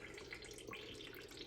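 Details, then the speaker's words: Munchkin Contender MC-50/MC-80 boiler combustion chamber during yearly cleaning, CLR descaler draining out of rusty, calcium-fouled chamber: steady trickling and splashing running out unobstructed; chamber drain flowing freely, a good sign. "hear that water draining good? It's a good sign."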